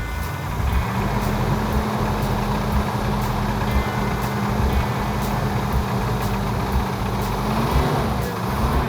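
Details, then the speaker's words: 1970 Plymouth 'Cuda 340, engine just after the flex-plate tinny noise was fixed: steady idle with a loud metallic clanking knock about once a second that worsens the longer it runs; source unknown (valvetrain, lifters, torque converter/flex plate hitting shield, or bottom end). "engines shouldn't make noise when you first start them this has a metallic clanking sound to it"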